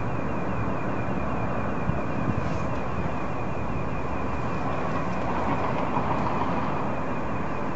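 Steady low rumble with a faint pulsing throb riding over it and a thin whine near 2.5 kHz; source can't be pinned down.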